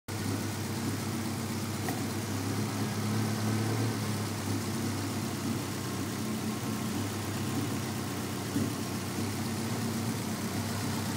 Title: 3sge beams running with misfire